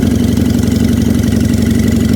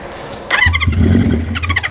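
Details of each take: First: 1973 Honda CB350 Four after float work, sticky throttle: steady even idle with a quick stall and restart, then settles to a smooth regular beat; running properly. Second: 1973 Honda CB350 Four, cold, choked, in neutral, on starting fluid: fires raggedly for about a second and dies; fuel suspected not reaching the cylinders, owner suspects the carburetor jets need cleaning.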